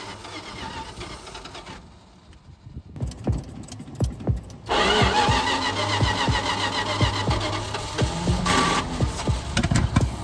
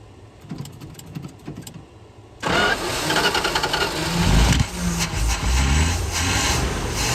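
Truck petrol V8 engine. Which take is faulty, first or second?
first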